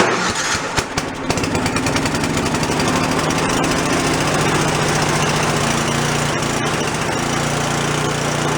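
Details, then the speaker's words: Free old snowblower small engine, first start after cleanup, no choke: chugs unevenly, speed hunting; no idle circuit, idle adjusting screw gives no response; carburetor idle circuit blocked, carb to be soaked in ultrasonic cleaner. "my fault I didn't pull the idle circuit out has no idle circuit we gotta go take that car block soak it so you can get to come clear no response from the adjusting screw neither"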